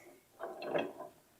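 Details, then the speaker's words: Neglected shop air compressor that failed, turned over slowly by hand: a rough, gritty grind with catchy bumps like marbles inside. The connecting rods and pistons are broken. "see if you can turn that over it's kind of grindy sounding that sounds"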